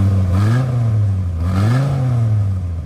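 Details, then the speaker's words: Modified car after a broken cylinder 5 spark plug wire was repaired and the exhaust was reworked: subdued deep rumble with a couple of blips and a slight cam-like lope, smoother and quieter, exhaust noise roughly 80-85% gone. "So we repaired it, and it runs much better, but it still runs like it has a cam in it."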